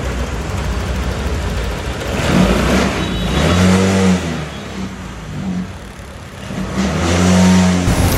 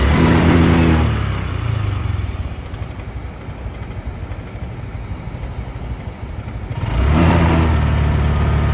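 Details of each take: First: Honda Click 125 scooter after fixing severe Second: Honda Click125 scooter with severe "hagok": engine revs hard, then sags into an uneven, labouring beat before picking up again, checked via trouble codes.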